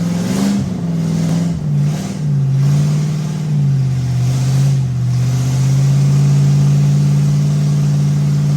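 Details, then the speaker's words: Ford 390 FE big-block V8 in a station wagon, first fire-up after new distributor ignition module and timing set, held at raised revs for cam break-in; strong steady smooth beat with no knocks or misses; normal fast idle. "all right there it is engine went through its break-in cycle"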